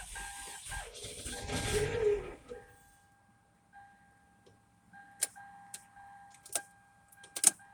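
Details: 2004 Toyota Corolla: faint steady high whine over a quiet engine with a few stray clicks, first taken for a vacuum noise; turned out to be a bad alternator.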